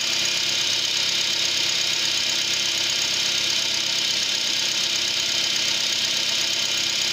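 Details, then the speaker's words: Nissan Versa with P0304 cylinder 4 misfire and power loss, after the fix: steady, even idle with smooth unchanging hiss and no stumbles; all cylinders balanced, no longer misfiring, normal idle. "And you can listen to the vehicle. It doesn't sound like it's misfiring anymore."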